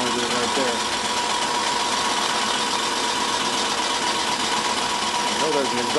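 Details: 1991 Ford Crown Victoria on first start-up. Fast light ticking of about four per second rides over a rough idle with a faint steady whine: the cooling fan blade hitting its shroud. An exhaust leak is also noted.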